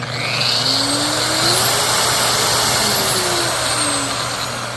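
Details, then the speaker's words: Makita 9237CX3 polisher, new, after owner disassembled and reassembled it to quiet it: steady even high-pitched motor whir rising and settling smoothly, no rattle or grind; now much quieter and running healthily. "Much better. Minus 20 points though, Makita. I shouldn't have to take it apart."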